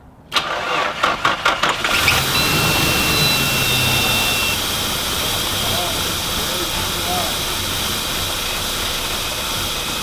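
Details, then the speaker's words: Nissan Pathfinder being revived, one vacuum line reconnected: several cranking bursts, then the engine catches and settles into a low, slightly uneven idle near stalling; low idle, idled longer than before but still died, cause unconfirmed. "that's just a low idol you know okay chris you hear that"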